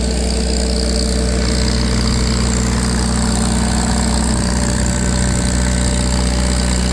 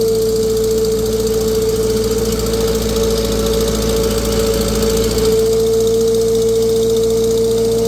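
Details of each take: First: Farmall 350 row-crop tractor on a PTO dyno: steady even low chug under heavy load, no knocks; sounds healthy. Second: Vintage tractor warm on a dyno under PTO load, making 35 hp at a 500 rpm reading against a rated 36: a fast puffing tick with a constant whine. A cracked, previously JB-welded exhaust manifold is leaking.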